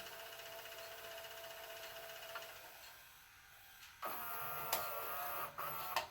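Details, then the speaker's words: 1998 JVC HR-S3500U S-VHS VCR after cleaning and regreasing the loading mechanism, tape fast-forwarding: soft, steady whirr with light clicks, quieter than before; normal tape transport after lubrication. "it's pretty it's it's more quiet now I'm wondering if that was the noise it was making"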